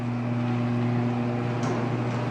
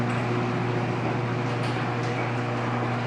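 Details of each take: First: Linear garage door opener (model unknown), reconnected after yearly lubrication: smooth, steady low motor hum with no grinding or squeal. Noticeably quieter than before the lubrication. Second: Linear garage door opener (model unknown) run by an MCT-3 remote, before lubrication: steady motor drone with a rough rattling, squeaky overtone as the door travels. The door needs lubrication.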